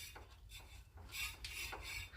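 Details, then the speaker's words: 2011 Kia Ceed 1.4: squeak while driving, louder with speed and when warm, continuing with the pads pulled back from the disc; harsh metallic scrape every half second with wheel rotation, the dust shield rubbing the brake disc; bending it away brings silence. "внизу видим что-то нам упирается и вот она причина защитный кожух шаровой упирается тормозной диск"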